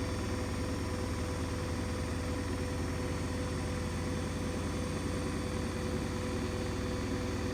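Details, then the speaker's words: New Hoover DXC C49W3 Dynamic Next 9 kg washing machine spinning a half load, nearly 80 dB on a decibel meter. It makes a loud, steady low roar with quick rhythmic thumping, excessive spin noise of unknown cause. "that's not on no washing machine should like be nearly 80 DBS"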